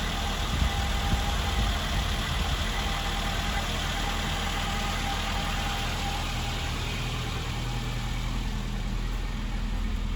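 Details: Classic Mini engine idling after revival from nearly two years of storage, which had seized the fuel pump. Steady, even low hum with no misses or knocks: smooth, healthy normal idle.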